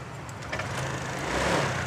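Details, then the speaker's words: Honda Air Blade FI scooter that was hard to start despite spark, fuel and compression, no error code shown: after repair it idles evenly with a soft steady patter, no misses or stumbles; runs sweet. "nên rất là ngọt và ngon anh em"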